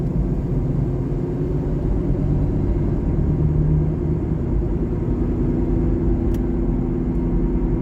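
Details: 2012 Honda Civic LX sedan while driving: steady low constant drone under road noise; owner suspects the driver front wheel bearing is shot.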